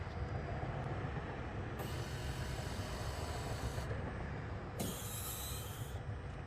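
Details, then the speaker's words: 2013 Toyota Camry Hybrid with ABS codes C1451, C1345, C1368 during brake bleed procedure: high whirring motor runs about two seconds, stops, runs again over low hum; normal ABS pump cycling during the 90-second step. "it's about 90 minutes uh uh sorry 90 seconds a minute and a half and i hear the pump coming on and off i don't have any flashing yet"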